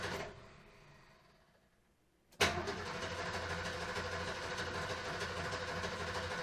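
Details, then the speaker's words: 1973 Ford Maverick 302 V8, sat two years, running on a little fresh gas. Quiet cranking, then it catches into an uneven, lumpy idle with irregular pulses; the owner thinks the timing is slightly off, unconfirmed. "i think it's a little bit out of time"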